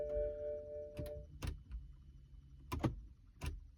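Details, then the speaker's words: 2009 BMW no-start: a chime, then a few dry isolated clicks with no cranking when start is pressed; immobilizer unit checked, starter suspected but not confirmed. "so every time I go to start the car the computer is saying hey"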